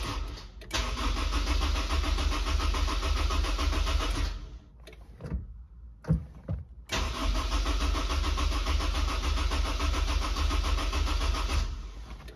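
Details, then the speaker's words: Supercharged Honda S2000 AP1, Link ECU, Walbro 255 pump, RC 750 injectors: steady fast cranking that never catches, no pump prime heard; no start because fuel pump plug on top hat was left disconnected. "I don't even hear the pump priming [Music] well I'm an idiot I forgot to pull again the little plug that goes into the top of the fuel top hat"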